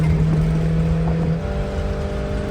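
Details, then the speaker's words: Vintage motorhome V8 after fuel-injection conversion, running on battery power only with static timing not yet set, pulling in third gear at under half throttle: deep, even drone with no stumble or misfire. Acceleration is normal. "Feeling pretty good. Third gear. Not even full throttle. That's like less than half."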